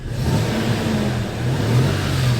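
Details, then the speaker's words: 2004 Toyota Tacoma SR5 3.4 L V6 5VZ-FE, after replacing a pulley to cure a loud whine, AC off: engine revs with a deep, even exhaust note, no whine or squeal, quiet again. "And as you can hear, so-called power steering whine and that horror is gone, and we have a quiet engine again, right there."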